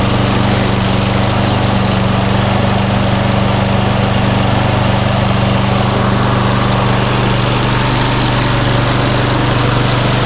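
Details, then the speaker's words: Viking MB545VR mower with Briggs & Stratton engine, after replacing a bent crankshaft with one from a 19-year-old Hayter Harrier donor: steady, even drone with no knocks, running well; some smoke from oil on the exhaust side. "yeah it looks fine looks fine guys for me sounds like a perfect"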